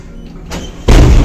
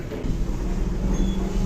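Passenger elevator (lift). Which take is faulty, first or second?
first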